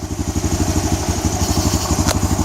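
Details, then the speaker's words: 2004 Honda Recon 250 ES (TRX250TE) ATV, single cylinder, idling evenly with a low putter and no misses after a Keihin carburetor rebuild and rerouting the throttle cable so it returns to idle; normal idle. "fed it back through popped it back together and now she's running like a top I just to the idle cranks right up sounds better"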